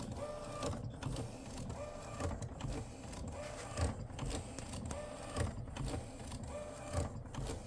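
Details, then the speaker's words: Epson P906 after a technician visit with no change: repeated harsh mechanical clatter and whir about every 1.5 seconds as the print head carriage travels; abnormal compared with another P900, source unknown. "Definitely, I'm not sure where this comes from, but yeah, definitely abnormal compared to the other P900."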